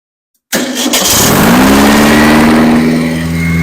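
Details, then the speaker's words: Engine on its third first-start attempt after failed break-ins, cranked by screwdriver with the starter now fixed: a quick crank catches at once, revs and settles into a steady, even idle; it still needs a valve adjustment and has small leaks. "getting closer at least it's a runner sounds good got to readjust the valves but otherwise and fix a couple little leaks"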